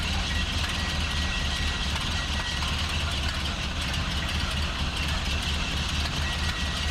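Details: 1929 Ford Model A Tudor, 12 V conversion with GM alternator, about 75,000 miles, idling after loose belt tightened: even, steady low idle throb with faint whine on top, no knocks or belt squeal; normal idle, now charging.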